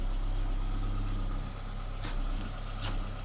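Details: Mk5 Ford Escort idling with a newly fitted exhaust, heard at the tailpipe: smooth, even low idle, steady exhaust note with much more pressure out the pipe and no puffing or ticking from the joints; no leaks, engine and exhaust healthy.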